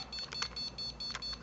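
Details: New PC build with an Antec 900W power supply and CPU water cooler at first power-up. Fans run while the motherboard gives short, high, evenly spaced beeps about four a second, flagging a startup error.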